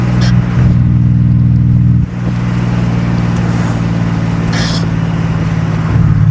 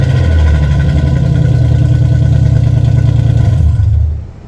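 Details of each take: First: Nissan 300ZX Z32 (VG30DE), refabricated H-pipe exhaust, after TPS reset and ECU swap: steady even low exhaust drone that dips briefly and settles back with no misses or popping; engine running smoothly, much better than before. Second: Nissan 300ZX Z32 (VG30DE), bought with aftermarket exhaust before repair: very loud, droning, raspy exhaust rising and falling with revs through hollowed mufflers; excessively loud, unstreetable.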